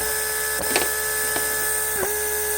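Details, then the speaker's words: Mercedes W140 central locking pump with repaired motor on bench test, pipes blocked off, lock pressure about 0.5; internal vacuum side leaking and deactivated; steady even hum with light clicks — normal pump operation. "see I can close the pipe piping and pump comes on and off well that's all great"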